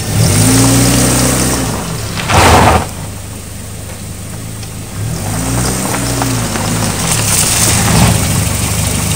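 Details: 1997 Chevrolet Cavalier test stops after new front brake pads replaced ones squealing from the wear indicator: only engine and tyre hum, no squeal or grinding from the brakes.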